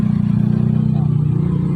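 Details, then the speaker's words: Miyako electric fan with overheating motor that stopped after running, after oiling and fuse connection repair: smooth low motor hum with fast even flutter, no scraping, swing works; normal running. "Wah ini error lagi, kita hidupin. Nah langsung muter. Super untuk swingnya nih."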